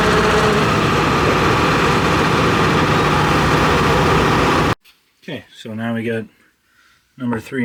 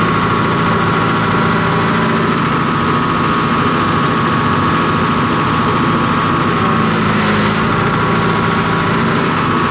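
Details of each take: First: John Deere 245G excavator diesel after emissions delete, all injectors connected: steady rough idle with coarse uneven knock; number 3 injector suspected over-fuelling, black smoke under load cleared when unplugged, before replacement. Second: John Deere 245G excavator diesel, cold, after replacing over-fuelling number 3 injector: steady even running with smooth low drone, no fuel knock while functions are pulled; black smoke cleared, normal.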